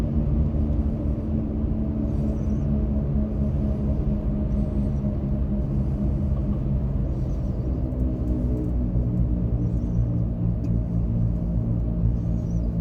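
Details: 2024 Ford F-150 PowerBoost hybrid pickup, steady low hum inside the cab while driving, same pitch in electric or gasoline mode and under acceleration; source unknown to owner.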